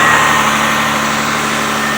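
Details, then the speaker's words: Car idling after a negative battery terminal swap, AC off, full tank: a steady, even idle with a smooth low hum, no knocks or misses. Sounds healthy. "But it sounds good. Everything's all right."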